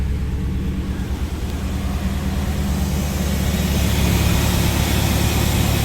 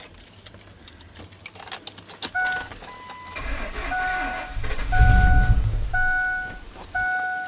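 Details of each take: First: Vehicle with 250,000 miles after intake gasket and coolant leak repair, also blamed for hard starting: steady low rumble settling into an even idle, no knocks or misses; running smoothly. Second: After a driveway intake gasket job with the alternator removed, no coolant yet and possibly slightly flooded: long stuttering cranks with a door chime beeping, then an uneven, faltering catch, from a massive vacuum leak at an unplugged line.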